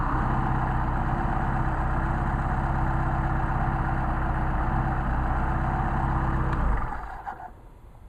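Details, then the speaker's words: Mercedes 190SL Solex carburettors, rebuilt with new gaskets and defective air corrector jet fixed, on test: steady, smooth low idle with no misses, hunting or stumble, then clean shutdown; metering properly. "those are some really nice carburetors all right now we can try a hot start"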